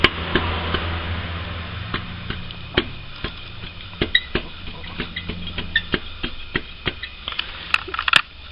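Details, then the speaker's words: 1.8 K-series Land Rover Freelander, exhaust front pipe struck: sharp metallic clanks and a loose rattle, because the small triangle support bracket had snapped and the pipe was not bolted properly. "See, the more I hit it, you can actually replicate the noise."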